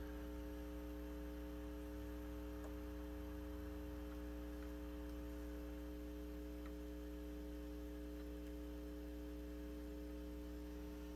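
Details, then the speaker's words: Circa-1972 Fender Silverface Bandmaster amp with a noise complaint, volume turned up: a steady low buzzy hum measured at about 60 Hz on the scope, suspected from faulty normal-channel input jacks. "Okay, so if you do your math, you take 0.005, multiply it by 3.5, and then take the reciprocal, and you're going to come up with about 60 hertz. So that's a 60 hertz hum."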